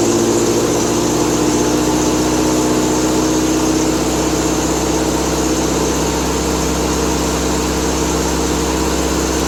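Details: Triumph Spitfire 1500 four-cylinder, cold and on high choke after a new exhaust header and intake; first run in a week. Steady, slightly fast idle with an even rumble and no misfires. Owner suspects a slight exhaust leak: normal cold idle.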